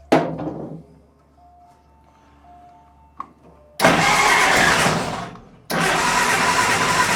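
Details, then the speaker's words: Willys CJ2A at first start attempt: two harsh, rough cranking bursts with a grating, uneven starter whirr and no firing; starter sounds bad, owner may replace it with a high-torque starter. "That starter sounds horrible. I'm sure you could hear it. So I may end up still buying that $250 high torque starter."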